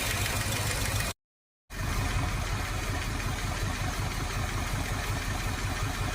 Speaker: I think it was this rocker that was loose. That sounds a whole lot better.